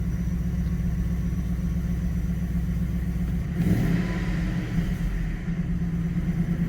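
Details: Manual Ford BA GT Boss 290 V8 with an upgraded intake plenum and twin 60mm throttle body replacing the factory 75mm, after its throttle body airflow tables were rescaled 28%: steady, even low idle rumble with no hunting or surging and a brief blip. It idles correctly.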